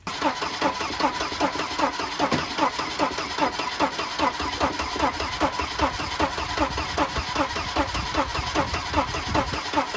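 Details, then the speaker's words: Wrecked Volvo 240 B230, cranking on a questionable ignition coil fed 12 volts that got very hot; engine fires briefly then dies, never settling into a clean run, pointing to a failing, overheated coil. "Turns out 12 volts to a questionable coil burns them up. Yeah, that one got real hot."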